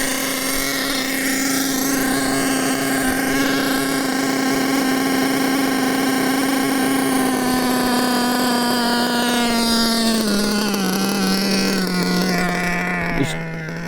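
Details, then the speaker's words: Nitro RC engine on 25% nitro fuel: high steady screaming buzz then sags lower over several seconds as the high-speed needle is turned out; it was running too lean on the top end. "Do you hear that was going fast and I turn the needle out and it slowed down? It's cuz it was too lean."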